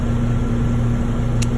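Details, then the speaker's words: 2006 Trane package heat pump, R22, after no-heat complaint: steady low hum with constant mid-pitched drone, smooth throughout; compressor comes on and runs normally with good pressures. "turned it on everything's working the compressor comes on it's an older 2006 model r22 I've got good pressures"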